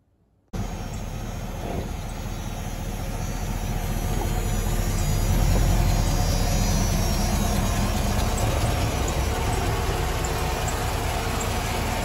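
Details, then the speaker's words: 1995 Chevy Caprice wagon, LT1/L99 V8, idling evenly with a faint repeating chirp a few times per second; serpentine belt squeak from the glazed belt and worn tensioner, both to be replaced. "when it's making that kind of chirping sound it's either the belt or the idler pulley has gone bad the tensioner"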